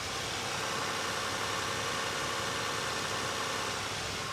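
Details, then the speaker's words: 2002 Toyota Tacoma at 44,684 km, cold start, mic close to the engine at the left-hand cylinder bank: a steady, even hiss and whir with no knocks, misses or surging; a smooth, healthy cold idle. "Now showing 44,684 kilometers. And yeah, it runs perfectly as you'd expect."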